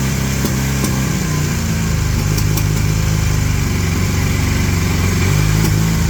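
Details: 1981 Honda CM400 twin, first start after sitting since 2000, carbs possibly still refilling: uneven, lumpy low-pitched running with irregular pulses and occasional pops, seemingly one cylinder hitting. Rough running.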